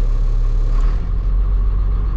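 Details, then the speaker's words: Caterpillar 3126E diesel truck warmed up, losing power with a slight skip at idle: revved, deep rumble stumbling unevenly; misfire from a bad injector found by cylinder cutout test with no injector codes, then replaced. "So how I usually test it is that I rev it up till I hear that like noticeable skip."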